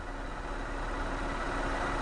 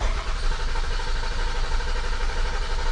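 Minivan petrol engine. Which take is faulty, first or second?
second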